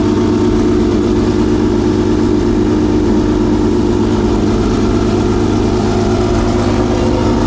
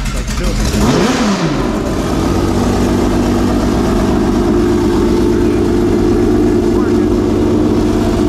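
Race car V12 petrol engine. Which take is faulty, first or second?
second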